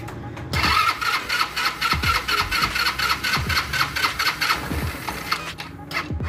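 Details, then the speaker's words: CVT scooter with a transmission noise: the drive belt was found out of position and reseated. On revving, the drive now picks up smoothly, with no rattle, slap or grinding from the belt side. "Este ya agarra, ya no hace ruidos anormales, solamente vamos a poner la tapa para volver a confirmar si no hay algún otro ruido anormal."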